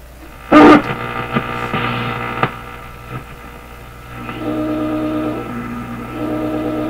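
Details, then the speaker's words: General Electric KL-70 AM/SW radio on the weak 19 metre shortwave band: steady hum with thin whistling tone and crackles as the dial is tuned, then goes dead and magic eye opens; set oscillating on that band. "okay so it sounds like it's oscillating up here and listen to this they tune it across it'll be making sounds and then it'll go dead"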